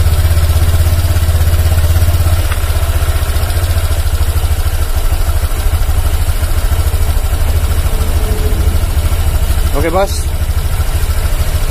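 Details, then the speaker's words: 2019 Honda Vario 150 scooter CVT: low even drone with steady quick pulse and only slight mechanical noise, smoother with no rough grinding; normal CVT running. "Ya sudah agak halus ya tapi tetep ada bunyi Bos Dikit Joss cuman enggak ngongsrong kayak tadi ya"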